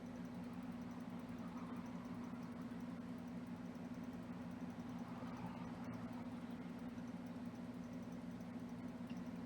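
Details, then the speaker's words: Xbox Series S cooling fan after a potentiometer mod on the speed-signal pin: quiet, steady low hum with no rattle or scraping, set to a moderate speed; fan running normally at reduced speed. "And we are going to raise the the speed just to be like hearing the fan a little bit more faster, but it's not very loud. I think this is going to be a good speed."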